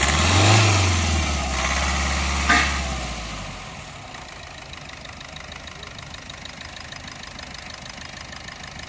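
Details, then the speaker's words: Diesel engine knocks harshly (tak-tak-tak) on sudden acceleration, then settles to a ticking idle; injector connectors unplugged one by one to locate the faulty cylinder; cause found to be a damaged piston. "ये देखो knocking की sound करती है। जैसे ही एकदम से accelerate करो, टक टक टक की आवाज़ इसमें से आ रही है।"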